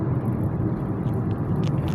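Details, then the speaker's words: Kia Cerato driven over uneven road after replacing left stabilizer link with original Kia part and stabilizer bar: steady low road rumble, no clunks or knocks; front suspension knock gone. "E aí graças a Deus o problema foi sanado não escuto uma stock toque nenhum tô passando aqui numa via Que por sinal ela é um pouco irregular"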